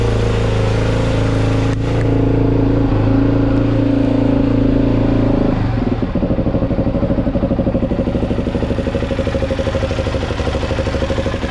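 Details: Suzuki DRZ 400 SM single-cylinder, cold start after crankshaft replacement and full engine rebuild: high cold-start tone settling into an even thump of about two beats a second, no knock or rattle. It runs much better. Normal cold idle.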